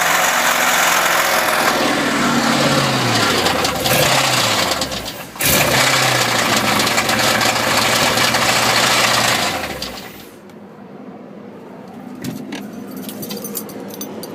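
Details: Old 350 V8 with two spun bearings revving up and down, knocking heavily and steadily at about four hits a second; suspected rod knock.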